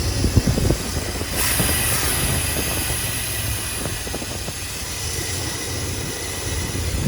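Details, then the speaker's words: Long-sitting Square Body crew cab with a 4-bolt-main GM 350 V8, forgotten 12 years, running after only a new battery: a deep, steady idle with no clicks, taps or knocks. Healthy; normal idle. "No clicks, no taps, no knocks. Oh, she doesn't need anything. She just needed a battery."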